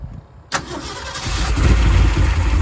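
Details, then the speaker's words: Original-owner 1967 Shelby 427 Cobra, engine redone with a solid roller cam replacing the flat tappet cam after a valve issue, about 100 break-in miles: quick start into a strong rumbling idle with light, even valvetrain chatter, normal solid lifter tick. "can hear the lifters. It's awesome."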